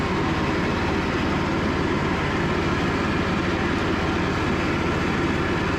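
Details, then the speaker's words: Cub Cadet riding mower, after sitting 3+ years, on a final test run following a charging system repair. Fast, steady single-cylinder chug with an even beat and no knocks or misfires; healthy running. "Well, by the time the next owner gets this, should be rated at about 200 hours, and they will have a good running, driving, cutting mower, and give this thing a new life."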